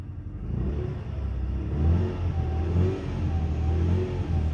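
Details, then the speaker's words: Ford Mondeo Mk3 1.8 Zetec petrol with check engine light, codes P0300, P0301, P0304, battery at 12.17 V: revving unevenly with a lumpy, stumbling misfire and poor throttle response, possible exhaust whistle; coil pack examined. "not a lot of response in the throttle down there yeah let's try and start it again and see what happens well that sounds good got some exhaust wle down there or something oh it's not happy is it"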